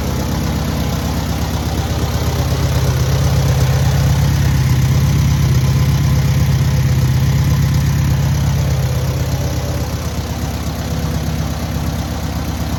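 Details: Newly rebuilt air-cooled VW 1600cc engine at its first start and break-in: even, steady flat-four idle swelling smoothly with a gentle rev and settling back, no knocks or rattles; normal idle and revving.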